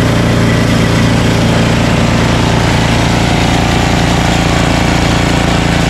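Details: Ariens ST1128 dual-stage snowblower, 11HP Tecumseh Snow King engine, after carburetor cleaning and pilot jet fix for surging, cold day. Despite an apparently ~5HP carburetor, a constant, even exhaust beat at steady speed with no rise and fall or stumbling: normal running.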